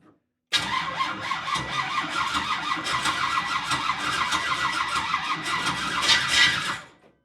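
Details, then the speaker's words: Big block first start, weak battery, fuel pump off to avoid flooding, starter suspected of sticking: labored, uneven starter chatter for about six seconds that speeds up near the end and spits without catching; slow cranking, low battery suspected. "ah it's that battery power because right there it had some battery power it started turning fast and then it like spit and I didn't have the fuel pump on cuz was trying to make sure we weren't flooding it"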